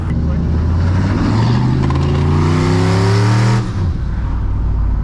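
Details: Big-turbo street truck driving with a strong, steady engine note rising through the gears and settling; the earlier top-end ticking has gone after Seafoam, believed to be lifters that needed pumping up.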